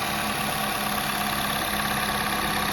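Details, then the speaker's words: 2018+ Toyota Camry just after spark plug replacement, engine cover off; steady even idle with light fast ticking from the uncovered high-pressure fuel pump, RPMs steady, no check engine light; sounds perfect, normal idle. "It's a little louder because that high pressure full pump without the cover on it is pretty loud. That's what that tacking noise is. But otherwise, sounds perfect."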